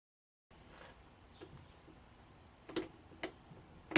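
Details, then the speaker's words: Handmade wooden spur gears turned by hand after their corners were filed round. They give irregular sharp knocks, a few per second, as loose teeth bang together; too much backlash and play, with some binding still present. "however when listen to them you can hear that they're quite noisy they kind of bang into one another"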